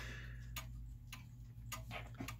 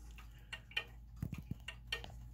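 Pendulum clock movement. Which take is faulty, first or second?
second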